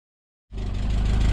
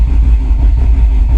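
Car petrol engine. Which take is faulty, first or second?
first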